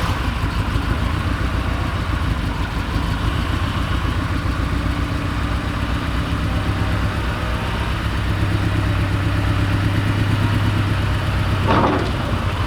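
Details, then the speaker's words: 1986 Porsche 944 4-cylinder long sitting, driving on road: rough uneven low drone with lumpy beat, misfiring as if one cylinder is dead; owner suspects bad gas, cause unconfirmed. "I don't know if you can tell, but this car is on the road and it does not drive good. I don't know if it's a combination of bad gas or why it's misfiring like it is, but I feel like I've got at least one hole out of the engine."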